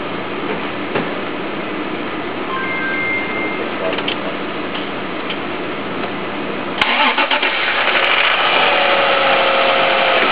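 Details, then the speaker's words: 1998 Honda Passport 3.2L: loud, rhythmic metallic rapping knock for about a second just after start-up, most audible as rpm peaks when idle is raised; possible bottom-end engine knock. "Yeah, it's kind of a loud metallic... ya know very rythmic..."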